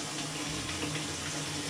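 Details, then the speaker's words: Maytag Centennial MVWC555DW1 top-load washer in manual test mode after replacing the stripped wash plate (agitator) that caused scraping: steady, even rush of water filling the tub, no buzzing or chatter; inlet valve filling normally. "Second one is water coming in. We're just gonna go ahead and redo this test again to make sure we don't have any noise whatsoever."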